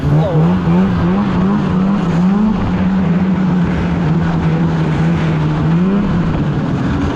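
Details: 2016 Polaris Indy 600 SP two-stroke snowmobile at full throttle after plugged fuel filter fix (previously stuck below 6,500 rpm): loud wail held high and steady with slight pitch wobble under load, reaching about 8,000 rpm as expected; normal full-throttle run.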